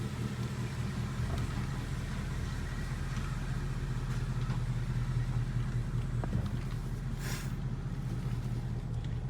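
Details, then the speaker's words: 2017 Ford Mustang GT (S550) after replacing the left rear half-shaft thrust washer: pulling away after reverse with low, even road hum, no clunk as drive takes up; normal driveline, drive-reverse clunk fixed. "see right there sometimes when I put it in reverse it would make that clunking noise did not do it this time"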